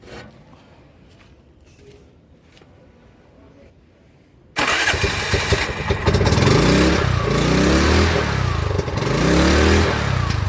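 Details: TVS King CNG/LPG BS4 three-wheeler after the misfire repair: quiet at first, then the engine fires and settles into a steady, even run with some revving and no stumble. It sounds healthy.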